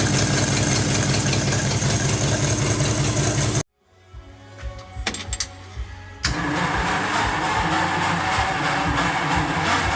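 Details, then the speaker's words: Mid-1940s Ford F5 one-ton dump truck with flathead 8BA V8, first run in years after freeing stuck valves: steady, even beat of about 2.5 pulses a second, briefly cutting out then recovering. Carburetor is hand-primed because of a dead accelerator pump and needs rebuilding. "so now that we got the truck to run on its own the carburetor needs to be rebuilt so it's gonna go off to get rebuilt"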